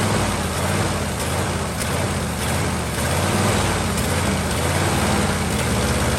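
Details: 1949 Ford truck with Thunderbird 312 V8, sat about 45 years, warm at low idle on choke: dull breathy chuff under a steady idle.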